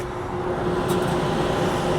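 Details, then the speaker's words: York rooftop HVAC unit after repairing a failed blower motor bracket frame, microphone brought close to the blower door: steady even air rush with faint hum, no scraping; suction suggests correct blower rotation, normal airflow. "so there's a good chance this blower is going the correct way."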